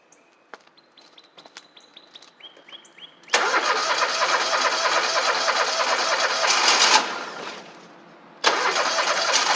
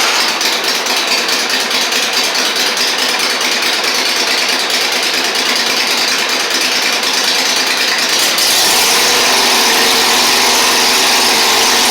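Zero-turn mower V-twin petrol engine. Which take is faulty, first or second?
first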